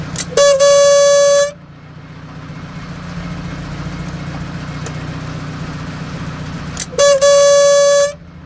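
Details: Mazda FD3S RX-7, FSE fuel pressure regulator: over a low engine hum two loud steady honking buzzes of about a second each come and go; regulator suspected, engine died weeks earlier, cause undetermined.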